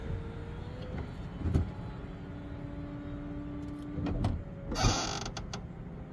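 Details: Convertible top being operated after lubrication: an electric motor hums steadily while the top moves, with a few sharp creaks and clicks near the end; creak source unconfirmed, a large mechanism part is suspected.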